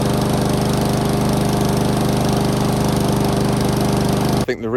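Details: Discarded Honda lawn mower after the stretched throttle cable was adjusted so the choke actuates properly: the single-cylinder engine holds a steady, even beat with no misses, surging or hunting, so it is running properly.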